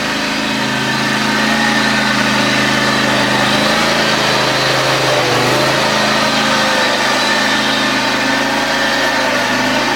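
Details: John Deere X540 mower, came in cranking with no spark and unused about a year; both coils dead, failed module replaced; steady even two-cylinder putter at settled idle, no misses or stumbles; normal running after repair.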